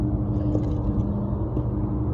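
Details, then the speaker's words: Carrier HVAC three-phase compressor after bypassing one leg at the fuseless disconnect and reconnecting unmarked wires: loud, heavy droning hum with a harsh steady growl; compressor running backwards, fixed by swapping any two power legs. "yes that is phased backwards so the solution is to switch any two legs of power"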